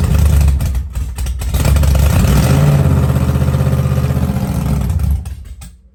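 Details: Blown 1957 Chevy Gasser V8, cold start after an oil change and priming of oil pressure. Heavy, deep, lumpy rumble loping about four beats a second, then shut off; sounds healthy and normal.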